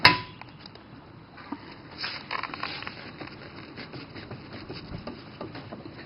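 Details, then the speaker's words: 1999 Chevrolet Monte Carlo rear wheel bearing: faint irregular knocks and clunks as the wheel is rocked by hand, the loose bearing chucking around; the other side was replaced a couple of months earlier, this side now due for replacement. "you can hear it chucking around in there uh we did do the other side a couple of months ago and uh now it's time to get this side done"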